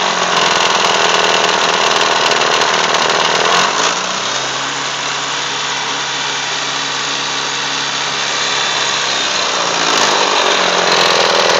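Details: Mitsubishi Eclipse engine rattle at idle, loud fast even metallic rattle from the pulleys, owner suspects behind the timing cover; rattle goes away on acceleration and returns at idle.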